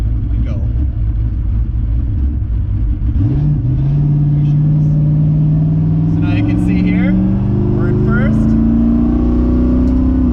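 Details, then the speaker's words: LS-swapped twin-turbo SN95 Mustang, Holley EFI, powerglide, new driveshaft, pinion angle not yet set: engine pulls through first and second with crisp rev drops at each shift, steady rumble under load; shifts normally, unlike before, slight vibration remains. "second gear boy and then for a little third action just how it's supposed to be it was nothing like that before"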